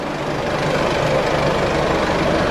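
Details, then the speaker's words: Isuzu D-Max tow vehicle at idle just after a DIY service with fuel filter change and priming, steady even diesel idle with no stumbles or misses, running smoother than before; no fuel or oil leaks, no check engine light. "Sounds like it's running a whole lot smoother now, which is nice."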